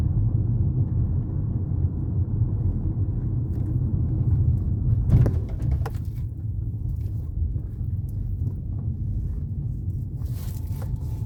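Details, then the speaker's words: Ford Fusion driven over a bumpy street: heavy road rumble inside the car with scattered loud hollow clunks from the front suspension. Other shops had condemned the power steering box. "beleza galera então é este barulho que tá fazendo no carro muito barulho mesmo né"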